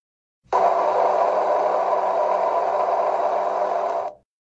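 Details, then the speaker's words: LG Tiiun plant-growing appliance: steady, even whir with no rattle or scrape from the machine-room condenser fan running while the compressor cools to hold internal temperature; normal fan sound. "식물 재배기 가 내부 온도 유지를 위해 컴프레서 운전중에 기계 실외 팬이 운 웽 동작하는 소리는 정상입니다"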